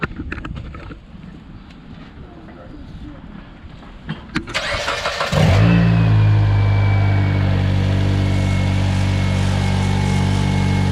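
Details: 2008 Mitsubishi Lancer after a new water pump, thermostat, coolant hoses and an oil change, started for bleeding with the heat on full: a short crank, then a smooth, steady idle with no knocks, misses or rattles.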